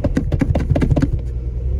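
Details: Ferrari 512, 90s: choppy, uneven exhaust pulses then flat rumble; engine running rough and misfiring, suspected running on only some of its cylinders.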